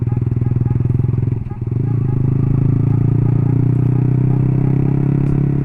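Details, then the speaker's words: Motorcycle with the chain fixed by packing the chain line with a piece of outer tire to quiet it: steady, even low engine pulse with no chain slap or rattle, quiet healthy running. "eh normal kembalilah sama rantai tadi udah dibenerin gitu dikasih tambahan ganjelan pakai ban luar ya"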